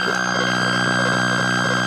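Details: Atari Centipede cocktail cabinet powered on in game mode after reassembly: a loud steady shrill tone warbling about three times a second over the game sounds, gone in switch test mode, caused by a shorted slam switch.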